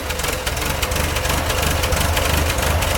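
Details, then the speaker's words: 1965 International Scout 152 four-cylinder, sat eight years, cold start on choke: lumpy, slightly uneven idle pulsing about three times a second with a deep rumble; running rich on the choke. "let's go play with that choke a little bit"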